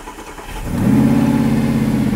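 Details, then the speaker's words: Car with a secondhand engine rebuilt from the ground up after the original engine seized: a quick crank catches at once and settles into a smooth, even fast idle; normal start. "that's fine the engine as you can hear runs sweet"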